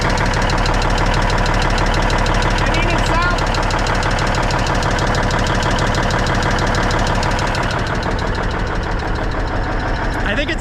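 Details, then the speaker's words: Peterbilt cabover diesel at idle after valve adjustment, injectors set without the proper inch-pound torque wrench, warming up with slight smoke: sharp regular tick about three per second; owner suspects an injector set too tight, unconfirmed. "but you can still hear that tiki tiki so i'm thinking that an injector is too tight or something"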